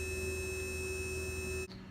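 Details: Dillon XL650 progressive press trimming .223 brass at the case-trimmer station. Steady high motor whine with a fixed tone that cuts off sharply after under two seconds; the trimmer motor spins smoothly.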